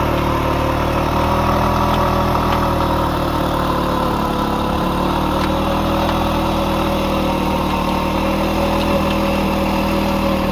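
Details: Restored 1940s Simar two-wheel tractor rotary tiller, single-cylinder engine while tilling: steady, even putter with no knocks or stumbles; starts easily and runs smooth and healthy.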